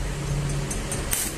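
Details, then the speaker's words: Lakoni 120E MMA stick welder that had a weak arc, after replacing the potentiometer and resoldering the current-control PCB, 54 V output, set to maximum 120 A: steady frying hiss with sharp crackles; arc now strong and normal. "Wow, mantap. Wish. Apinya sangat besar teman. Bunyinya pun beda ya."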